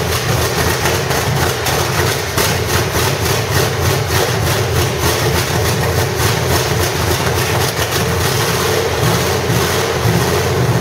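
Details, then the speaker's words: 1985 Stepside truck with a reportedly 400 hp Corvette V8, cam, roller rockers and open headers: loud, steady lopey idle with slight cam chop; engine sounds healthy. "to be loud because of those uh those headers and stuff but motor sounds pretty healthy it's definitely got a cam in it"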